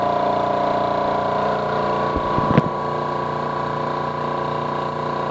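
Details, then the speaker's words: Air compressor for 4500 PSI airgun tank fills, the second unit compared (the non-Omega, presumably Air Venturi), with a hefty fan about twice as loud: steady fan roar over an even piston beat of about 146 a minute, no knocking; like a quieter construction-site compressor, normal. "this sounds like a typical construction site compressor not quite as loud but definitely not as quiet"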